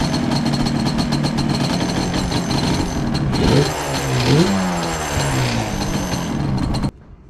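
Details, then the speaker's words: Yamaha Banshee two-stroke ATV idling: loose, uneven metallic chatter over the engine from the kickstarter; kickstarter rattle. "So when you turn on the Banshee, this sort of rattles, and if you have that, I'm going to see if changing the components inside, the little ball bearing, the spring, and the seal, if that will help some of the rattling noise."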